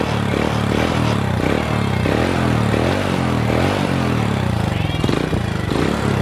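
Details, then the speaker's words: Old Honda Supra motorcycle, smoky worn engine, after repairing the damaged decompression activating plate: revs up and settles back cleanly with each throttle blip, slightly rough from wear; previously surged and jumped unstably. "Nah, normal ya. Digas ya, dia naik RPM-nya diturunkan gas ya, dia turun. Jadi enggak ada masalah lagi."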